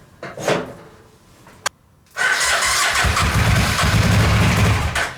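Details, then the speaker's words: Suzuki VX800 engine in homemade buggy, starting on residual fuel: a few cranks, catches and rumbles about three seconds then dies; owner suspects insufficient fuel, plans carburetor cleaning. "As much as I really don't want to do it, I think we need to clean the carburetors, just because then we're going to allow it to have fuel in there and want to continue to fire up."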